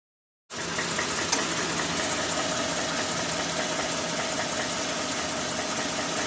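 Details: 2013 Ford F-150 5.0L V8 at 40,000 km (25,000 miles), cold start: faint, fairly fast knock of about three a second over the idle. Present from immediate cold start until hot idle, silent once hot.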